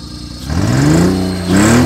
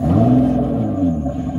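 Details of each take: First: 2006 Honda Pilot after the fuel pump was pulled and a crud-filled fuel filter found: a rev sweeps up and falls back, then a choppy, uneven idle pulses. It now runs better at low rpm but is really shaky when revved. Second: 2006 Honda Pilot J35 V6 after cleaning the fuel pump and clogged fuel filter: pump heard priming, then deep even rumble holding steady with slight rev, no stumble; idle steadier, throttle response quicker.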